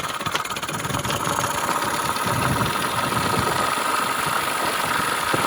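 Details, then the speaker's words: 1985–2005 Mercury/Mariner 6–25hp two-stroke outboard with the idle knob turned fully clockwise, advancing ignition timing for fast idle: a quick, even buzzing idle with no misses. This is a normal fast-idle setting, adjustable for trolling speed. "can hear it's idling fast, and you can bump that down by turning that all the way clockwise."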